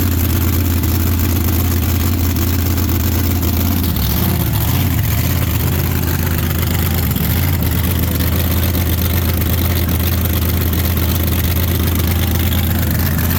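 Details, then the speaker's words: Drag race V8 after replacing a bad axle bearing leaking 80-90 gear oil: deep, loping rumble at an even idle with a brief blip, no knocks or misses; idles smoothly and gear temperature stays good. "how's it looking Steve I think we got something to work with now yeah so idle smooth and gear temp stays good while it's running"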